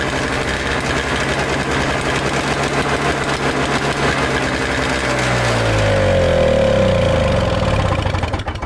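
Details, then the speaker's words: Toro Snow Commander two-stroke snow thrower, fuel line disconnected, plug refitted: engine catches and runs roughly a few seconds on sprayed starting fluid, then sags and dies; old mix suspected too oil-rich, fuel suspected main problem. "okay clicked it on let's see we've got a little something out of it now that's about enough for me to here"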